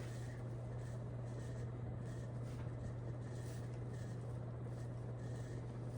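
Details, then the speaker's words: Nutone Veranda Deluxe 36-inch ceiling fan; steady low hum with even whir at high speed; owner finds motor noisy and plans running it on high to clear the noise, cause unclear. "I think I just have to run it on high for a little bit to get rid of that noise."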